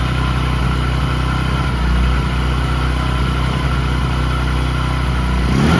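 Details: Discover 100 (BS3) single revved after timing chain replacement for a chain noise: smooth, even exhaust note rising steadily, no chain rattle or clatter over the engine; runs healthy.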